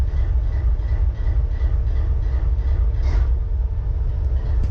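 Heavy low diesel rumble at idle with an irregular, stumbling pulse, roughly three beats a second; one cylinder seems to be missing.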